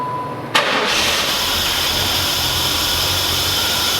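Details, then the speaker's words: 1994 F-body Trans Am after replacing the ignition control module, coil pigtails and a burned 10 amp underhood ignition fuse: quick crank, clean catch and smooth, even idle; no-start solved, though the coil failure remains uninvestigated. "okay so the no start is solved"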